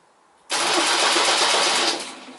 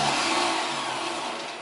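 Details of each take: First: 1972 MGB GT restoration, on connecting the battery after rewiring: starter whirs loud and fast about 1.5 seconds without firing, then stops, because starter and starter relay were wired to the same connection. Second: 1972 MGB GT flood-damaged restoration, starter spun on first wiring test, not engaging engine as 12V not tripped: fast even electric whir winding down, no grinding; healthy starter spinning free.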